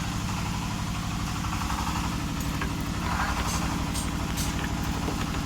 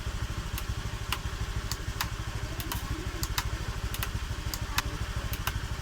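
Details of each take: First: Honda Vario 125 (old model) idling with the CVT roller housing disabled: a fast, dull knock under the engine note persists, pointing to a worn connecting rod. The fix is replacing the rod and crankshaft. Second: Honda Vario 125 (old) at 91,000 km after replacing connecting rod and crankshaft, which had sounded rough: even steady idle with regular low putter about three beats a second, no knock or rattle; engine now normal.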